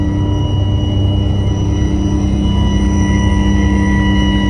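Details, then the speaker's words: Diesel 4106 bus with Allison V730 transmission at about 65 mph: a steady high-pitched whine over the engine drone, louder with speed. Suspected alternator or power steering, with the transmission also under investigation; cause not confirmed. "oh i got a new high-pitched wine coming out of this thing i mean i remember hearing it before but not that loud it's pretty pronounced"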